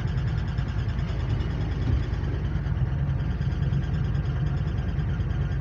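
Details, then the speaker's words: Ford V8 truck (one of a 1997 F350 7.3 Powerstroke, 1999 F250 5.4 or 2004 E350 5.4; one shows 188,153 miles) idling cold in rain with a low, uneven lope and dropped beats. Misfire at idle; the owner attributes it to an exhaust leak. "this thing has an exhaust leak so my dad's going to put it up online because it's you literally have to take everything off to just to fix the exhaust leak that's what's causing it to miss"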